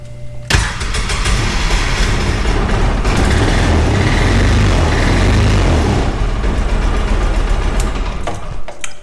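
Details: 2009 Polaris Ranger 700 EFI after sitting a day, new starter fitted: short fuel-pump buzz, then several seconds of labouring cranking before it catches and runs unevenly; starting and idling issue, cause suspected, not confirmed.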